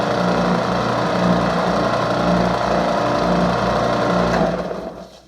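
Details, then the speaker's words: New Ridgid spindle/belt sander, first run after unboxing with the belt fitted: smooth, quieter-than-expected motor drone with a slow rhythmic pulse from the oscillating belt, then a clean spin-down; running normally. "Not that loud. It actually operates really smooth and quieter than I suspected, but as you can tell, the belt oscillates too, which is different than just a regular belt sander."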